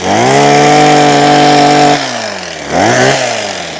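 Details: Husqvarna 123HD60 hedge trimmer after new carburettor diaphragm and carb clean (previously failing to run or start): strong steady two-stroke howl at high revs, dipping briefly as it bites into the hedge then recovering cleanly; normal running under load.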